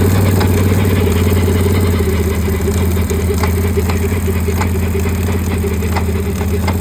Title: 2022 can am outlander 1000xxc clunking noise only at low speeds 1-4 mph #canamoutlander